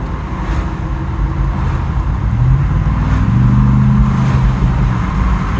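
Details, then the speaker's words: 2014 Ford F150 Raptor, 170,000 miles, automatic showing clutch material in the pan and a squawk on 3-4 and 5-3 shifts, on its first drive after fluid and filter change with XL16 additive: steady engine drone and road rumble, revs drop smoothly through the upshift with no squawk or flare; shift healthy. "all right first drive after some fluid change in xl16 shift quality pretty good doesn't feel degraded"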